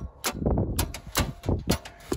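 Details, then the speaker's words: 1990 Chevrolet Suburban with 383 stroker crate engine that sat 18 years: with key out, touching the new battery's positive terminal causes sharp clicking bursts and sparks at the starter; suspected miswiring with the solenoid or bendix trying to pull in. "i've got the new battery put in there and when i touch the positive terminal you can hear something clicking down by the starter"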